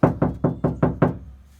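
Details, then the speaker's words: Knock test on bare car door before applying KilMat sound deadener: six quick knocks, each with a hollow ringing tail; plain hollow sheet metal with no sound deadening. "But definitely right now, I mean, this is just plain hollow."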